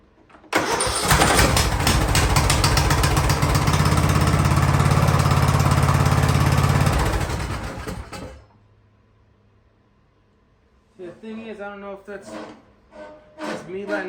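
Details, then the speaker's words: Free Ariens riding lawnmower, sat at least two years, fuel topped up and carb sprayed: fires and runs steady several seconds, then dies when clutch/parking brake released; interlock kills it as transmission not in neutral, though belt disconnected. "yeah that's that's me letting up off of the off of the clutch and the parking that's that's what's killing it which i don't really see why because the the belt is disconnected at least it's supposed to be"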